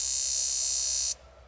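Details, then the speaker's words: Barn-find Range Rover Classic, sitting about 10–13 years: rapid, sharp buzzing chatter as the cylinder 6 fuel injector clicks normally under a pulse tester; the cylinder 2 injector does not respond. "so as you could here the the C the sixth cylinder is working with the injector but not the second one"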